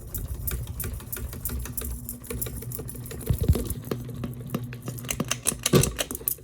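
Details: Noisy ceiling fan on high speed after tightening the globe: irregular light ticks and clatters over a soft motor hum, no steady beat; owner suspects loose screws.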